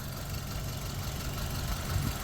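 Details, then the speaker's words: 2006 Hyundai Getz, 78,000 km, recent engine oil, brake fluid and coolant change: low, smooth, steady idle hum with no knocks or misses; seller says engine runs very smooth, normal idle. "బండి engine పరంగా ఇప్పుడు running లోనే ఉంది sound కూడా మీరు వినొచ్చు చాలా smooth గా ఉంటది"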